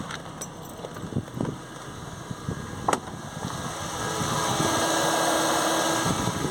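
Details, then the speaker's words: Mercedes SLK350 with code P0410: secondary air injection pump activated via diagnostic tool on a warmer idling engine gives a steady hair-dryer whoosh; pump and its wiring work. "and now it sounds like your hair dryer that means it's working so we know all the electrics on the car are good"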